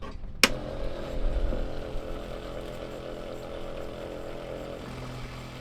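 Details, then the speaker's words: Pumptec 107ss-based homemade sailboat watermaker, boost pump switched on after the forgotten hose was fitted: click at switch-on, then steady even motor hum; pump has water and runs smoothly. "All right, it's got water, I can hear it."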